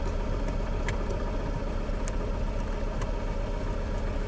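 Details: 2006 Toyota Camry running rough with power loss, heavy vibration and bogging on throttle: steady low idle with an uneven, stumbling beat, about 150 pulses a minute; the scan shows a misfire on cylinder 3.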